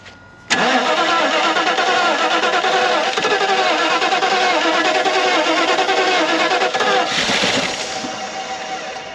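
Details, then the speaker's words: 1992 Mercedes 400SE, quarter tank, fuel pump seemed primed, starter fluid sprayed: starter churns about three beats a second for several seconds without firing; spark confirmed, suspected lack of fuel delivery. "we got spark so we just need fuel keep cranking her so we can get some good fuel up here"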